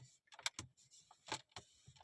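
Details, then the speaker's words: Skoda Slavia / VW Virtus dashboard trim pressed hard at the joint: quiet irregular plastic creaks and ticks, loudest there; not the rattle itself, neither fitting nor plastic quality at fault, blamed on material choice. "जब उसको जोर से दबाओगे जहां पर joint होता है वहां से आपको नज आएगी सबसे ज्यादा यहां से आपको नज आएगी"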